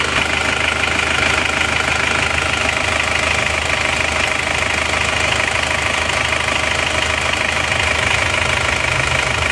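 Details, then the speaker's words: Isuzu Panther Turbo diesel after repair for oil consumption (non-original machined liners; worn parts replaced), covers not yet fitted: steady, even light clatter, no standout knock; fairly smooth normal idle. "juga teman-teman ya hidupnya seperti ini lumayan halus Ya lumayan halus"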